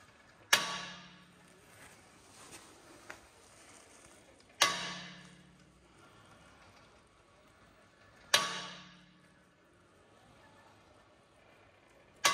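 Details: Tesla Model 3 steered at standstill, single sharp clacks about every four seconds from the front suspension; a loose top mount of the anti-roll bar link on the strut is suspected: front suspension clack when steering at standstill.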